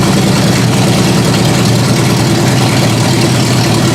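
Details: Ford Granada carbureted V8 on open headers, first start-up after work: loud, lumpy idle barely holding. The owner raised the idle speed and backed out the carb mixture screws until it ran on its own.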